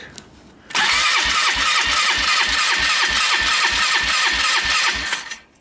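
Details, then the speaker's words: 2001 Polaris Trail Boss 325 four-stroke ATV, long sat, cranked by jump pack clipped to starter with muffler off: steady even cranking thumps about five a second, no catches; good compression. "Sounds like it's got compression, right? 325. The muffler's off, so you can kind of hear it thumping along pretty good."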